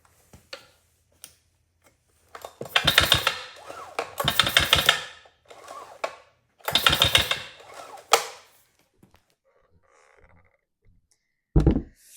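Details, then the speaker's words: Three-week-old Stihl MS261 50cc chainsaw that won't start: each starter pull brings a hard internal knocking in time with the strokes. The cause is a failed connecting rod bearing knocking inside the crankcase. "well that's an interesting sound sounds like somebody's in there knocking trying to get out it sounds internal"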